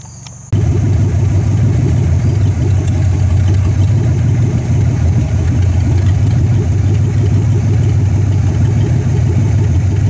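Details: 1964 Dodge Polara 500, parked since 1978, restarted after five months of work (new heater core, radiator repaired, choke not yet set), cold start to warm up before driveway test: brief crank, then steady even low idle rumble, no knocks or misses; normal cold idle.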